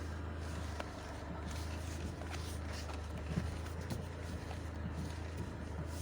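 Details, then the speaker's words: Dodge Caravan steering knock: after removing the counterweight under the steering-wheel airbag and refitting the airbag, engine idles steadily as the wheel turns with only faint soft clicks, no knocking — the noise is gone. "а звук то пропав"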